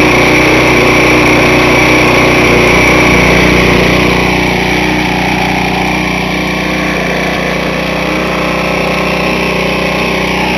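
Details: Briggs small engine previously run without oil, reassembled with fresh oil and started on priming and ether: fast, harsh, dry rattly strained note; deeply scored cylinder, piston with 1/4 inch play, scored crank, burnt valves, oil blowing from crankcase breather.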